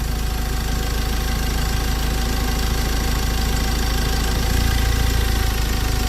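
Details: Ford Ranger T6 2.2 diesel, automatic, after removing the whole EGR system because a cracked EGR cooler let coolant into the engine; head not warped; a steady low diesel rumble with even, light clatter; a healthy, smooth idle.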